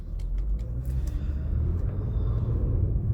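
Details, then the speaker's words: Infiniti G25 2.5 naturally aspirated engine on a road drive; owner reported cold-start chain-like rustle; low even rumble, no knocking, ticking or vibration, pulls smoothly: normal running. "при тому що двигунчик працює рівненько гладенько Тобто нема ніяких вібрацій там Все тут добре В цій машині"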